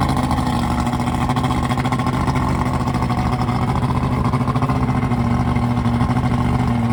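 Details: Carbureted outboard newly installed on a boat in place of a fuel-injected engine, test-run on a hose for a few minutes to check for overheating: even, steady throb with fast regular pulse, no misses, knocks or surging; runs normally.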